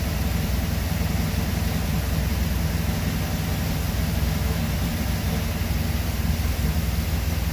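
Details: 1977 Chevy Camaro small-block Chevy V8 with newly installed Edelbrock Pro-Flo 4 EFI, timing locked at 12 degrees, idle set to about 750 rpm: low even burble, no misses, knocks or hiss; normal idle, looking and sounding good.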